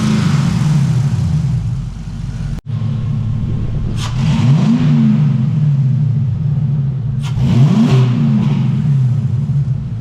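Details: LS-swapped Trans Am after sitting a long time, just started with tick gone once oil pressure built; deep, even V8 burble at idle with two clean blips rising and falling smoothly, healthy revving.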